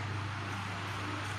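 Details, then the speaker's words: Wall fan repaired after its main power cable to the motor burned; burned section cut and rejoined: smooth steady low hum with even airflow hiss, no rattles or speed dips, oscillation motor also working; normal running. "masih bisa berjalan dengan normal. Begitu juga motor swingnya juga masih berjalan dengan normal."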